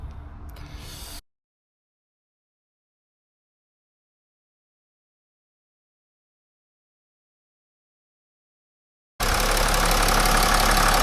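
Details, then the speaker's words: BMW X5 diesel after injectors were reinstalled in their coded cylinder positions (some possibly mixed up) and air bled from the fuel system; it settles into a steady, even idle clatter with no misses, running well. "right as you can tell we've got a nice running engine took ages ages to get uh the air out the system seems good"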